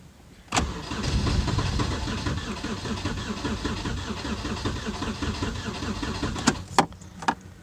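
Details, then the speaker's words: Hyundai Sonata crank no start on a cold day, fuel pump current checked okay: starter cranks steadily about six seconds with a lopsided beat, as if one cylinder isn't contributing, never catches; cause unknown. "like one cylinders not really contributing hmm well that's weird cuz yesterday when it did turn on they didn't really sound like had a misfire was just running fine"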